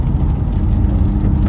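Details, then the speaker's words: Ford BA Falcon XR6 Turbo driving: low, steady droning hum that grows louder turning right and quiet turning left, identifying a worn left front wheel bearing, then replaced. "you can hear that humming sound coming from one of the wheel bearings which one is it"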